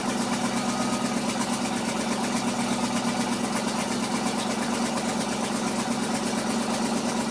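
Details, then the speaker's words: Ford F-600 exhaust after weld repair, idling: faint puffing tick in time with firing, quieter than before; small exhaust leak remains, nothing bad. "still here a little bit of a leak from it right there nothing bad"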